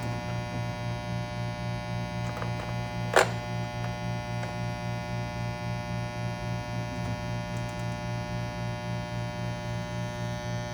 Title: Low buzzing/humming noise after pulling a shot - New open Refurb by Breville Bambino Plus